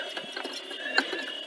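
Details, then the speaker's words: Panasonic AG6200 professional VHS duplication deck under test after cleaning: faint irregular ticking and chattering with a rattly edge from the tape transport. Worn idler tire slipping; separate bad noise from under the deck is also noted. "unfortunately that either tire is not doing a great job it's okay um but it is battery about and obviously that's not good"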